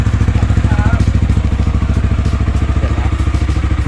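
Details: Yamaha XMAX300 scooter idling after valve adjustment: even, steady single-cylinder thumping about 200 beats a minute, no ticking; valve clearance had measured 0.40 against 0.06–0.125 spec, causing noise before; now quiet, healthy idle.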